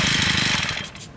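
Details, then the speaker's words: Honda GX35 four-stroke brush cutter, bought used: engine buzzes high then sags and dies within a second as it drops to idle; faulty carburetor won't hold idle, later replaced. "Ah tá que que acontece a máquina tá pegando mas noutros para de jeito nenhum máquina pega uma Noite Fora galera porque esse carburador e outro detalhe não dá lenta"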